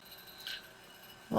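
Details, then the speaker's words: Macintosh SE/Plus/Classic at power-on after fitting a home-built Performer 68030 accelerator clone: near silence, then a loud odd musical chime instead of the normal boot beep, a ROM error that persists without the accelerator and after reseating ROMs. "Ooh, I did not hear a beep. And that just happened. Okay. That's a ROM error."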